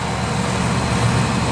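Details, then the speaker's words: Newly installed Comfortmaker/ICP condensing unit running after a changeout: steady even hum with a smooth airy rush and no knocks or rattles. 15 degrees superheat (saturation 40, line 55), head pressure good, normal running. "We got 15 degrees of superheat, so we're right where we need to be. Running good. Head pressure looks good."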